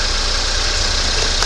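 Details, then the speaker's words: 2019 Ford Fusion 2.0 EcoBoost after alternator replacement, warming up at idle: steady, even idle with constant low hum and airy hiss, no knocks or misses; earlier noise gone and alternator charging properly. "The noise went away. All is good."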